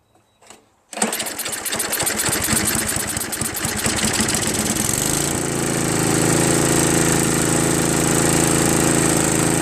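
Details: Craftsman 5 HP 24-inch two-stage snow blower, first pull start after new carburetor, choke and full throttle: catches first pull with quick even popping beat, settles into smooth steady high-speed run, no misses.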